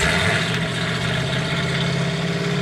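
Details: Race car first started after repairs, oil pressure up, holding a steady, even idle with a low, smooth beat and no knocks or misses; running cleanly, though an oil leak from a pipe is noted.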